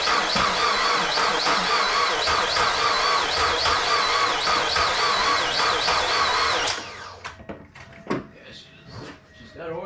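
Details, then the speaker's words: Mazda Miata after timing belt and valve seal job, new plug wires: starter turns sluggishly for about seven seconds and never catches; owner suspects cranking too slow to start, possibly weak battery, and had thought one cylinder lacked compression. "i don't think it's cranking fast enough though for it to start"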